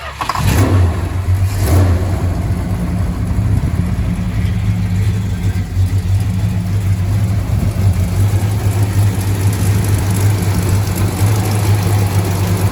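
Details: 1968 Dodge Charger barn find, old fuel pumped out, Seafoam and fresh non-ethanol gas added, water pump leak being fixed: cranks and catches quickly, a couple of revs, then a steady, even V8 idle. Normal start-up.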